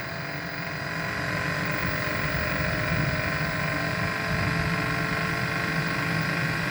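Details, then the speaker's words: First-generation Kia Soul EV, heat pump repair: steady electric hum with soft low whir and faint fan rush, even and unchanging, heard outside at the front; heat pump compressor running normally and warming. "aha yes so if you can hear that that's a heat pump compressor"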